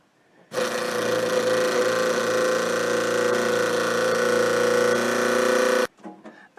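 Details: Deuce-and-a-half truck fuel pump motor, previously bound up (possibly varnish) and freed: steady fixed-pitch electric buzz, even and uninterrupted about five seconds; pump now running freely, normal.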